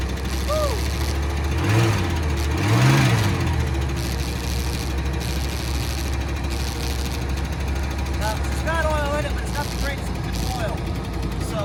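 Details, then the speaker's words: 1985 Chrysler Fifth Avenue, 95,000 miles, first start in 7 years after a starter change, lean burn system, old gas: low, uneven idle that lopes and stumbles irregularly; rough running, cause unconfirmed. "uh I can see what he meant about it not running right with the lean Barn too"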